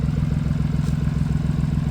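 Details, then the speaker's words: BMW i8 after repair of the exhaust flex pipe (bellows) and a crack, under light throttle: an even low exhaust pulse with no rattle or buzzing vibration riding over it; the earlier vibration is gone and the exhaust sounds normal. "떨림이 없어졌네. 조용해졌다. 와 아예 없다."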